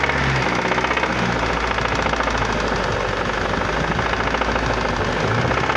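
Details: Strange engine noise on a Vectra Challenge: a quick, regular knocking over the idle. Something is knocking inside, but the cause can't be pinned down by ear.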